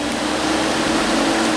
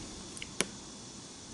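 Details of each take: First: 2005 Chrysler Sebring that came in for overheating, after new cooling fans were fitted (a shorted fan had blown the fuse): steady, even rush of air on low speed with a faint hum, no ticking or scraping; normal radiator fan running. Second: Chrysler Sebring engine bay, low-speed fan selected: the relay clicks every few seconds, so its control side works, but the cooling fans don't run and no fan whir starts; the load side is checked next.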